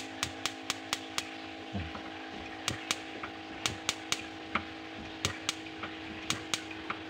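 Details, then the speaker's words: Built-in glass-top gas stove (kompor tanam), smallest middle burner fails to light: sharp igniter clicks two or three times a second with faint pops, burner stays unlit; the rightmost burner lights fine, the middle one is difficult. "Tidak menyala ya, cuma ada letupan seperti itu."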